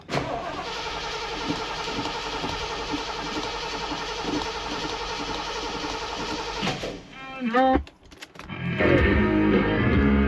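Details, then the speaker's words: 1976 Ford Thunderbird, sitting about 30 years, being revived: starter cranks engine at a steady three beats a second with no catch; no fuel reaching carburetor yet, owner suspects float bowl still filling after adding three gallons. Cranks, won't start. "Well, we're not getting gas, so I'm just going to crank it a few more times cuz last time we were getting gas, so probably just taking a minute to fill up that bowl and whatnot."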